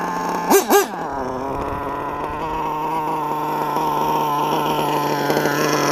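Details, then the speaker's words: LRP .32 engine with a Novarossi race carb on its first run of the day: two quick throttle blips, then a constant high-pitched scream with slightly wavering pitch. The owner thinks the high-speed needle is a little too lean. "I think I got her a little bit too lean man she's screaming back off just a tad till the backup is running again"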